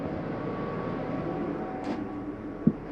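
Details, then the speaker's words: 2015 Jayco Eagle 306RKDS RV, furnace switched on at the hallway thermostat near the return: a smooth steady blower hum with a faint even tone, no rubbing or squeal. The furnace fan runs normally and takes a little while to cycle off after shutdown. "when I shut that off, generally it takes a little bit for the furnace fan to cycle through before it shuts off."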